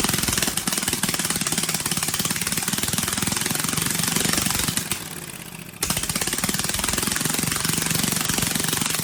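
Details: Briggs & Stratton 18 HP Vanguard twin, choke hand-held because it vibrates shut, fuel pump slightly leaking: very loud, harsh hammering rattle on every exhaust pulse from a broken baffle loose inside the muffler.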